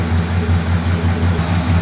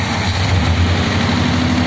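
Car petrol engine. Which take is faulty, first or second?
first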